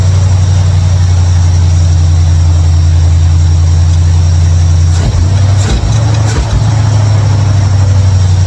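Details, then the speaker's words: 1955 Chevrolet Bel Air, carbureted, running after ignition bypass and carburetor mixture/air screw adjustment: deep, even, steady idle hum with a brief flutter midway; idles much better than before, a settled normal idle. "hell yeah man way better way better she she idles way better big time"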